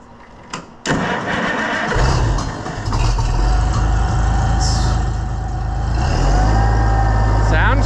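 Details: Oliver 1650 tractor after coil re-bolted, started and running with the air filter off. Brief crank, then a steady, even low rumble with no misses or knocks: running smoothly.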